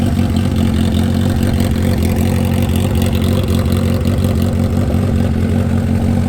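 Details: 1977 Honda CB550 four-cylinder with a Delkevic 4-into-1 exhaust: steady, even idle beat with no ticks, knocks or stumbles; clean, healthy running.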